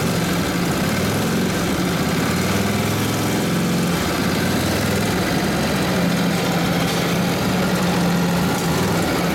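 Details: Freshly rebuilt Harley WL 45ci flathead V-twin in an RL frame, with ignition points just set, runs near full throttle with the brake buried; a strong, steady low thrum pulls the load cleanly, running healthy.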